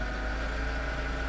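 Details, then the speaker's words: Salvage-auction vehicle with about 250,000 miles, first start with a likely dead battery: rough idle with a steady, loud whine held over the engine. The power steering pump is whining badly. "She's not happy. Power steering is making horrible noises. Yeah, power steering is pissed."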